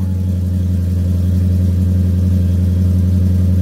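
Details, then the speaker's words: Mercedes CLK55 AMG after full service, starting first try after a hard-start issue; low idle slightly uneven and shaky; fouled spark plugs suspected, not confirmed. "that is so good it's a little shaky but I'll take it"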